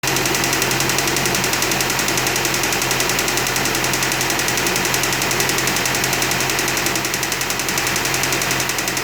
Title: 2015 Audi A4 CPM knocking sound